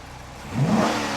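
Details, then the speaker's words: Dodge Charger Pursuit V8 after water was found in the fuel: quick throttle blip, revs climb clean and fall back smoothly with no stumble or miss; sounds as it should, fixed. "Yep. That's great. Sounds like how it should."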